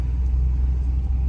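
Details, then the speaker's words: 1972 Ford Thunderbird V8 with Edelbrock carburetor, cold start with choke: deep, steady rumble, even beat, no misses or rough pulses; normal idle. "fired right up. Very nice. So, runs beautifully, it really does."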